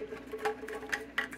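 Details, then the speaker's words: Early Nitty Gritty 1.0 vinyl record cleaning machine, previously opened once to remove loose junk, housing moved in a quiet room: faint, irregular light ticks and rattles like loose material tumbling inside; exact cause unconfirmed. "you can hear that something rattling around in there i've had to have this open once before because something was loose in here"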